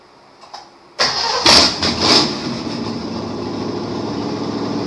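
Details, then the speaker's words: 1953 Chevrolet Bel Air rat rod small block Chevy V8, first run in 30-plus years with a little gas added: brief crank, catches, blips and settles to a steady even idle; engine runs fine. "So that's it for this video. The car's running."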